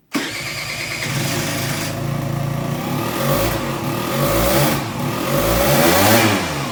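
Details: Aprilia SR50 Purejet with Piaggio two-stroke after rebuild: after an original cylinder and piston were fitted, it starts at once and revs cleanly to 9000 rpm with a crisp even buzz, running healthy.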